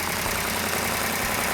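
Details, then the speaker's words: Freshly built 440 Super Commando V8 in a 1967 GTX at initial startup: steady, even running with a constant hiss, no knocks or misses and no smoke, slightly noisy valvetrain normal for a new engine; healthy idle. "no smoke yet got a little bit noisy valve train which is normal on a new engine"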